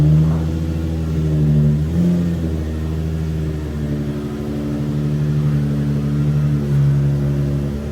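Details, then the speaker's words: Lowered Nissan 350Z drift car driven after replacing the front compression rods with anti-seize and grease. Steady engine pull rises and eases with throttle, with no pops, bangs or clunks from the front end; suspension normal after the repair. "the Z is making no more Pops no more bangs none of that"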